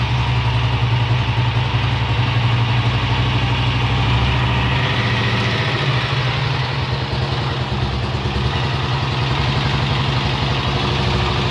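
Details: Honda XLR single-cylinder at steady idle with irregular tapping over the low thump; odd internal engine noise, source suspected but not confirmed.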